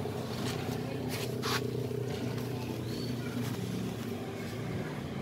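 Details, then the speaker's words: Lakoni air compressor with worn 6003 crankshaft bearing: loud harsh rattling drone over its low hum; noisy worn crank bearing, to be replaced. "dan kompresor ini suaranya sangat berisik kelihatan dari suara beiringnya ya"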